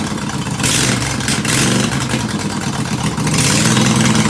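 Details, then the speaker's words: Mower started cold on choke after fuel spill, blades engaged: steady rapid putter, pace rising slightly as it warms; runs evenly and sounds healthy. "I want to see if it'll start, and I want to turn the blades on. Choke."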